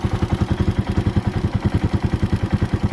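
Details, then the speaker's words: Warm motorcycle idle after screw backed down from too high to a proper setting: steady, even low thump, no misses or knocks; normal idle. Lowering idle to save fuel is discouraged. "Wag nyong sayangin yung gas minsan kasi gusto ng iba para makatipid sa gas daw, bababaan yung idle, no?"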